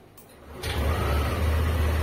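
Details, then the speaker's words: Yamaha Aerox 155 scooter at about 10,000 km, starting on a replacement battery after it previously failed to start: a quiet click, then it catches within a second and settles into a smooth, steady low idle; display voltage rose from 12 to 13. Normal start and idle. "यह चालू हो गया है और battery का प्रतिशत भी दिखा रहा है।"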